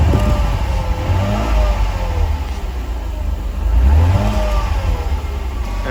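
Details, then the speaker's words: 1991 Mercedes 300SL R129 engine after sitting for years. It gives a deep, even note with a couple of throttle blips and no knocks or misses. It sounds healthy but needs a full tune-up. "guys can hear it sounds pretty healthy it just needs a whole tune-up since it's been sitting for I don't know how many years"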